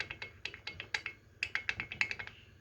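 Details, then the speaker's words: Yamaha RX King two-stroke engine being rebuilt, crankshaft rocked by hand: sharp, uneven metallic clicks from visible side play of the worn crank bearing in the block; linked to weak low-to-mid rpm acceleration; bearing to be pressed out and replaced. "hai hai ini dia sudah menimbulkan suara dan nah ini spasinya nampak disampingnya Hai nah ini menimbulkan suara berisik juga didalam blog"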